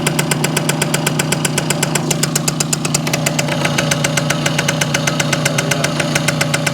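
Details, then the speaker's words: Circa 1965–67 Yamaha YJ2 60cc two-stroke on premix, in neutral, mic close: crisp even popping about four beats a second, slightly rich burble, no ringing; tight healthy idle, loaded up. "microphone right up this to it I don't hear any ringy dingy but pretty tight I think pretty well loaded up"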